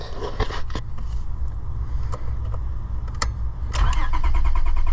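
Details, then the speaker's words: 2002 Honda Odyssey that stalled, now no-start despite replaced fuel pump: starter whirs engine in even rhythm but it never catches; test light shows no power out of main relay to fuel pump. "and it doesn't you ain't gonna no fuel pump is gonna fix that if you ain't getting power so we know nothing's coming out of there"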